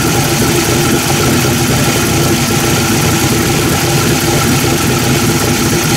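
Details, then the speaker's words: V8 freshly fitted with a Holley 750 carburetor after checking floats and fuel leaks, tuned in at about 1700-1800 rpm: loud even fast idle, steady low rumble, no misses or knocks; good to go. "Alright, there she is. She's good to go. Tuned in. I got it out in about 1700, 1800,"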